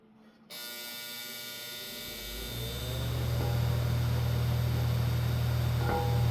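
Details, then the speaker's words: 1948 Ilg Model 123 fan, 1/20 hp 1550 rpm GE unit bearing motor, untouched before any work: spins up into a steady low buzz with faint rapid chatter; owner believes shaft end play, bearing itself tight. "little buzzy on startup and still buzzing while it's running. But, uh, one thing I'm noticing is it has a lot of chatter and I believe that chatter is end to end play."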